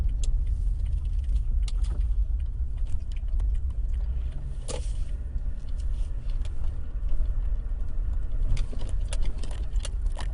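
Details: Rear passenger-side rattle and squeak in a Toyota Tacoma 4x4 pickup while driving, recently appeared; irregular light ticks and jangling over low road rumble; source unknown, nothing found underneath; owner wonders if the bed, removed for body repair two years ago, is loose.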